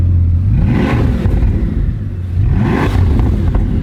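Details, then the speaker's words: Bugatti being rescued with barely any fuel in the tank, revved hard: rising and falling deep, uneven exhaust note with a rough, stumbling edge; sounds like a misfire, many faults stored, cause not yet found. "Sounds like it's got misfire."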